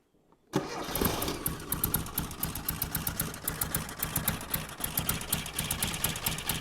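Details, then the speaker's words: 1975 Mini Clubman estate with a swapped engine that sat 12 years, firing order set 1-3-4-2: it catches after half a second and runs on its own with a loose, uneven beat of about four pulses a second. "oh that sounded a bit more promising didn't it"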